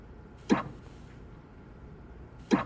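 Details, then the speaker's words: Tesla, quiet background. Two short solid clunks about two seconds apart are said to be the hold brake engaging, though the owner is unsure and says it may be the auto-hold clicking: normal hold brake engagement. "이 소리 는 홀드 브레이크가 작동 될 때 발생 합니다 ."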